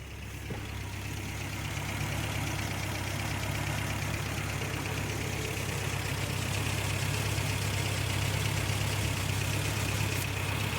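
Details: 1988 Toyota Pickup 22R carbureted four-cylinder after timing chain, water pump and oil pump replacement, timed at zero degrees, holds a smooth steady idle without stumbling; earlier it kept shutting off, now runs fine.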